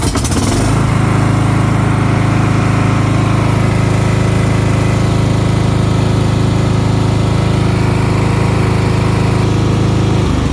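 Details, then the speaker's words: Cub Cadet XT1 riding mower, Kohler engine that had shut off shortly after starting; after fuel system flush, fuel line cleared, new fuel filter and carburetor bowl cleaned, it runs smoothly and holds revs. "so now that the riding mower is running we're gonna want to prevent that from happening again"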